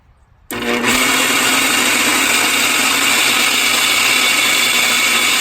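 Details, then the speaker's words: Old Infinity Spas hot tub pump motor removed from tub, running alone with wet end removed: harsh gravelly high-pitched roar, worn front-end motor bearing. "so it sure sounds like that bearing on this end of the motor is bad"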